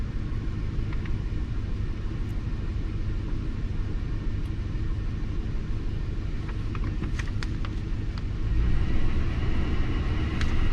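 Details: Lincoln MKT (titled 2005) at a low, lumpy idle rumble with an uneven loping beat near three a second and felt shake. Power balance test shows cylinder 5 not contributing; bank 2 misfire.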